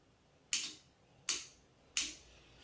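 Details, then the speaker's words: RO water purifier solenoid valve wired straight to the AC-to-DC adaptor for testing: three sharp, crisp clicks about two-thirds of a second apart; the clicking shows the adaptor works, silence would mean a faulty adaptor. "Sound கேட்டுச்சுனாக்கா அந்த tip டிப்னு sound வந்துச்சுன்னா அது வந்து பார்த்தீங்கன்னாக்கா adapter work ஆகுது."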